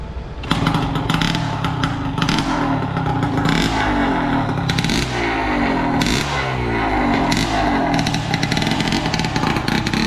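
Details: Yamaha RX135 two-stroke, freshly ported with custom exhaust, Vforce4 reed valve and high-compression head, ports designed to hit about 10,000 RPM: loud crackly throttle blips snap up cleanly and drop back without stumbling. Runs healthy and strong.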